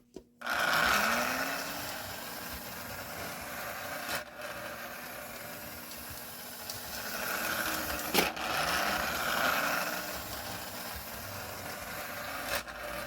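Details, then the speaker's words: Lionel No. 60 Lionelville Trolley motor after repair, shell off before reassembly: whirs up smoothly after each clack into a light even buzz with no grinding or catching; runs fairly quiet and healthy. "but yeah this thing runs and sounds pretty good I mean it's not that very loud so um I'll get you back when uh I've got it all reassembled again"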